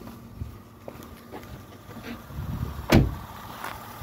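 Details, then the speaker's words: 2012 VW Up 1.0 with 84,315 miles at idle: a soft, steady low hum with no ticking or rattling, only a door thud over it. A quiet, healthy engine at normal idle. "and as you can hear the engines very quiet there's no rattling going on at all"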